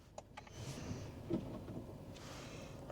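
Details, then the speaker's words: Mercedes GLE 450, 3.0 L turbo straight-six: a few light ticks, then a single dull thunk from the rear on selecting reverse; normal, just the rear-view camera popping out. "It was that it's the rear view camera popping out."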